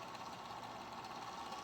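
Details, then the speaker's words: Golden Tee Fore arcade game board on the bench, cooling fan over a chip: faint steady small-fan whir with a gritty, uneven buzz; fan now spins but runs rough, bearing noise. "but at least at least we have fan movement now which is great she's a little rough but at least we have at least we have airflow over top of this chip now"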